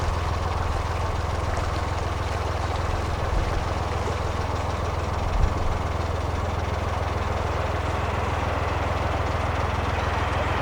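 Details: Narrowboat diesel cruising after the propeller was cleared through the weed hatch: steady low thump, even and unbroken at cruising revs, no shudder or knocking; the drive sounds clean and healthy.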